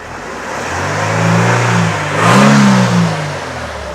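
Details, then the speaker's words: 2000 Mercedes SLK 200 Kompressor (R170) revved: clean rev that climbs and settles with a supercharger whine rising with revs; engine sounds healthy, but battery voltage drops when revved, so the alternator is concluded to be faulty. "Okay, so revving it and battery level drops when the engine revs up. So, that kind of concludes that it is definitely the alternator."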